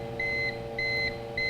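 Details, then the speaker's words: Old UPS unplugged from the wall and running on battery: steady shrill beeps almost twice a second with a fan running as the battery bars drop fast; the worn battery dies before the PC finishes shutting down. "This is an old UPS. So even though it works and you hear it beeping constantly, it's telling you, you don't have much time."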